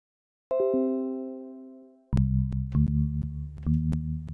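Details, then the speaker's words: Focusrite Scarlett 2i2 routed through VoiceMeeter Banana at default settings; sharp, evenly spaced clicks over a chime and low musical tones, caused by a buffer timing issue in the Focusrite ASIO driver. "once everything is routed through voice beat or banana using the focusrite as a driver as the hardware out we get crackling like this and with some troubleshooting i found that it is related to buffer size"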